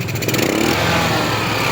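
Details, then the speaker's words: Rusi scooter, freshly overhauled and rebored GY6, hard start from lost compression cured by repairing and lapping the damaged exhaust valve: starts on the first push, rattles briefly, then settles into a quick, steady single-cylinder idle without stumbling; normal start and idle. "Kalahin mo yun, no? Yung hard start ay isang pindutan na lang."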